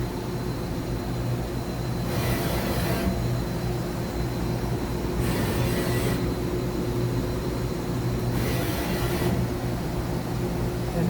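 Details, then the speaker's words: Used 2013 Mazak HCN 4000-III horizontal machining center: steady hum with smooth, even whooshes of axis rapids at 25%, 50% and 100%; ballscrews and thrust bearings sound good. "ballscrew thrust bearings everything sounds good"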